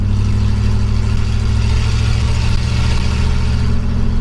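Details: 1965 Pontiac Catalina V8 after cleaning the Rochester 2-barrel carburetor: a deep, steady idle with an even low rumble and no stumbles or knocks. It runs a lot smoother.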